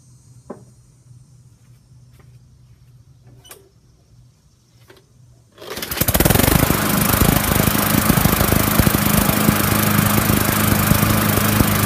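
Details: Murray push mower with a plastic carburetor, just cleaned of gas after a no-start: after a few quiet clicks the small engine catches and settles into a steady, even drone with no misfire or surging; it now runs normally.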